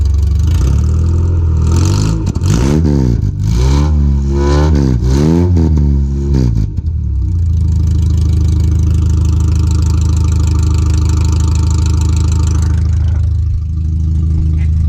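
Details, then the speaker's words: 1986 Nissan 720 pickup running on open headers (Doug Thorley tri-tube header, no exhaust pipe yet), driven slowly to the exhaust shop: very loud raw blat on blips, then a harsh, deep, uneven idle roar straight off the open header. "so if you guys want to hear what open with the open header sounds like it's not pleasant"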